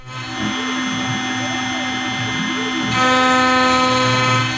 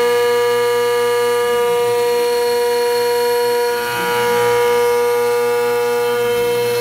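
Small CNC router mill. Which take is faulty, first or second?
first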